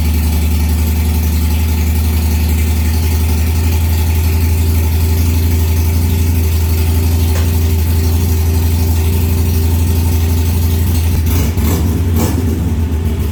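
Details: Harley-Davidson Sportster after a short to the ECM was fixed, error codes cleared and a new battery fitted: deep, steady V-twin lope at about four beats a second, no misses or knocks; idling normally.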